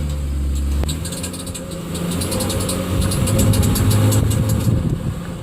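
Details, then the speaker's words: 2006 Trailblazer with check engine lights (knock sensor flagged), pulling away in gear: light metallic ting-ting like a marble in a tin can, near torque converter/flywheel, over rising engine note; starter pinion striking flywheel. "if you can hear that sound like something behind a flywheel maybe i don't know very strange noise"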